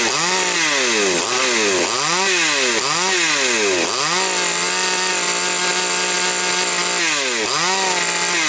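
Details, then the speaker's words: Chainsaw after fixing an air leak (cylinder checked) and carburetor work, final test run: crisp rise and fall on four blips, then a steady high hold with no hunting or dropouts; running normally. "Все, короче, добре."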